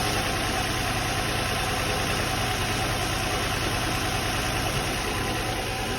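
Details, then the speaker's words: Nissan 350Z/G35 idling evenly after valve cover gasket replacement, running fine with no fuel smell: a loose, uneven low puffing chuff that sounds loud. Listeners think there is more than one hole in the exhaust and it needs replacing. "there's definitely holes and there's more than one hole in the exhaust yeah i think you just need a new exhaust"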